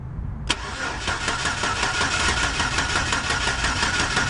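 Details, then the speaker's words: 2004 Chevy Silverado 4.3L V6 with a brand-new-looking distributor cap: even starter cranking at about three turns a second, never fires; no spark at the plug wires though the coil sparks, traced to a corroded distributor cap and rotor. "okay we're not getting no spark at all let's verify again right here"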